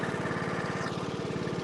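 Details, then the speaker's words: 20 hp single overhead cam MTD single-cylinder mower thumping steadily with a faint thin whine whenever the transmission is engaged; the underside pulleys were checked with the belt off and found fine, so the cause is unknown. "Yeah, I don't know why the transmission makes that noise. I can't find anything. I don't know if you guys heard that this, but this thing makes a noise when the transmission is engaged."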